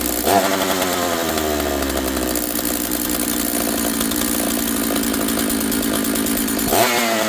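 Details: Husqvarna 66 chainsaw, freshly assembled, bench run with broken stop switch: high steady buzz, fast idle, slow to return to idle; running lean, attributed to air density and elevation, carb adjustment with screwdriver to follow.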